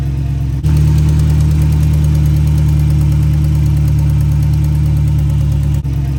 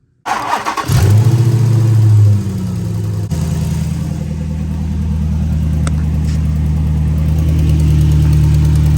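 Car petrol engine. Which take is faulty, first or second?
second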